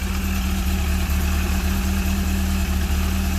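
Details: Old Italian four-cylinder car after setting ignition timing to about 10–12 degrees: low, steady idle with an even pulse and no stumbling, ticking or hunting; idling smoothly.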